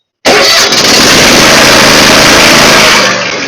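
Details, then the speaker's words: Kohler V-twin lawn mower after adjusting single-lever throttle cable so choke closes fully, fixing long cranking hard start: fires almost instantly, settles into loud steady run with no stumbling; normal start. "right. But that's how it should start."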